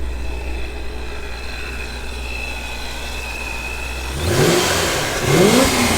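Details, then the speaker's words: ProCharged automatic Chevy Corvette with 37,000 on the clock, heard outside: two sharp revs with supercharger whine climbing and falling, plus rushing hiss of boost escaping from a blown charge pipe that kicks up dirt. "so as you saw that little tornado right there was because the charge pipe was actually blown and it's blowing all that dirt out of the way"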